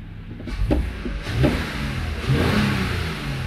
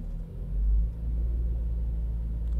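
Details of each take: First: Toyota Avalon V6 idling cold: an uneven, stumbling rumble with heavy lurches and felt shaking. The misfire count confirms a cylinder 1 misfire that appears mainly when cold; an injector is suspected. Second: Toyota Avalon after injector cleaning for a cold-engine misfire on cylinder 1: smooth, even idle settled to about 800 rpm with no stumble or shake; misfire count now fine.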